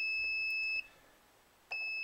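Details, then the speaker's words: Multimeter continuity test on an electric guitar, probes touched to metal hardware, strings, whammy bar and tuning machines: a steady high-pitched beep stops, then returns, showing a continuous circuit and the whole guitar properly grounded. "touch them to two different pieces of metal if it beeps that means it's you have a continuous circuit"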